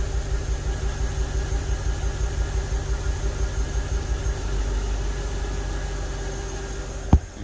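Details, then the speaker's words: 2006 BMW 750Li N62 engine after valve cover, upper timing cover and alternator bracket gasket replacement: slightly lumpy idle with brief bog, hesitation like misfiring, two codes read, no engine light; rough idle, cause unknown. "i don't know if you guys heard it it's kind of like a the engine bogged a little and it had like this little to it"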